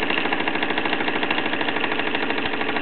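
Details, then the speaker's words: Mamod SE2 raised-base steam engine, unpolished weathered brass boiler, still running late in its run: steady chuffing about 158 beats a minute over a substantial constant hiss of steam escaping from the perished safety valve O-ring. "I'm quite surprised that this one has run this long actually because uh the amount of steam pressure that coming out of the uh perished safety valve o-ring uh is quite quite substantial really"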